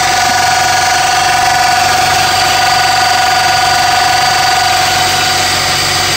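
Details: 2002–2005 EP3 Honda Civic Si hatchback at idle: a steady, piercing mid-pitch whine rides constantly over the engine from a bad water pump pulley bearing.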